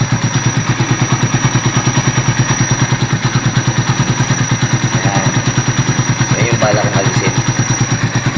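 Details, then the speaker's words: Motorcycle at idle with a steady thin high whistle over an even pulse of about three beats a second. The owner suspects a damaged coolant pump oil seal and warns it could ruin the pump impeller. The planned fix is replacing the pump oil seal and gaskets. "So yan, yung sipol na yan kailangan maagapan yan kasi pagka lumala yan pwedeng masira rin yung coolant pump, yung parang propeller o yung propeller mismo. Umisipol siya yan."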